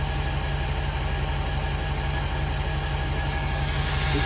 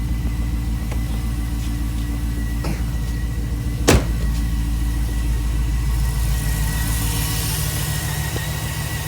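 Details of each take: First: 2006 Jeep SRT8 6.1 Hemi, high mileage, P0305 cylinder 5 misfire, after new coils, spark plugs and injector rebuild, warming from cold start: V8 idles steady and even, much smoother, no shake or shudder, misfire count down to four. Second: 2006 Jeep Grand Cherokee SRT8 6.1 Hemi V8, about 335,000 km, cold start dropping to lower idle: faint uneven chug from a cylinder 5 misfire (P0305) despite new coils, spark plugs and rebuilt injectors.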